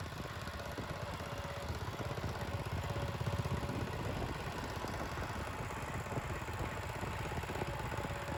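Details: 1975 Bolens G14 tractor after fixing a drive belt that was thrown at engine shutdown: quiet, soft chugging idle that holds speed without stalling, surging or clunking; belts stay on after repeated tests, starts and runs normally.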